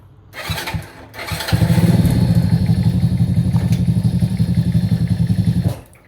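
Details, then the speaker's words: Masaï Greystone 50cc motorcycle after clutch replacement and adjustment: small single fires up, holds a steady putter a few seconds, then stalls as the clutch bites in first gear; the clutch works. "Ok, on a un embrayage qui marche. Bon, je l'ai fait caler. Mais ça marche."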